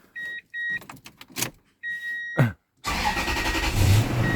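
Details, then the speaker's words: Toyota 4.7 V8 (5UZ) first start after timing-belt and water-pump replacement: key chimes, a short crank, then it fires straight into a smooth, even idle with no knocks or ticks; timing correct. "Oh yeah. First start, fired right up, sounding good."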